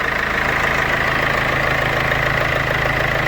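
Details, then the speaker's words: Infiniti Q50 2.2 diesel (2014, OM651) after replacing V belt, tensioner and pulley: steady, even diesel idle with usual light clatter and faint constant high tone, no squeal or chirp; belt drive sounds healthy. "now everything is placed so it's time for an engine start and looks if it works okay as you can hear no strange sounds or whatever rinse okay"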